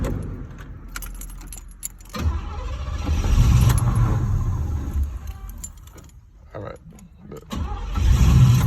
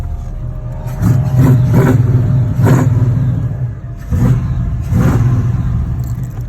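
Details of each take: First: LS-swapped G-body Monte Carlo, new battery, plugs, wires, cap, rotor and coil: it cranks and barely fires twice, each time dying within seconds; crank no start caused by a fuel pump relay fault. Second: LS-swapped G-body Monte Carlo after a fuel pump relay fault was diagnosed and bypassed with a fused jumper: it runs and answers several quick throttle blips cleanly with no misses; normal start and rev.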